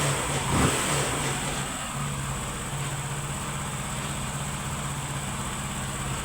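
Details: Honda Pop 100 single-cylinder motorcycle after repair of an engine noise, finished and ready; running steady and even at a fast idle, no knocks or rattles over the low hum; sounds healthy.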